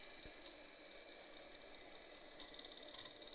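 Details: Amiga 2000 PAL with a SCSI hard drive, controller possibly from a Supra 2000: faint high whine settling steady with scattered soft head-seek clicks; healthy drive spinning up and reading.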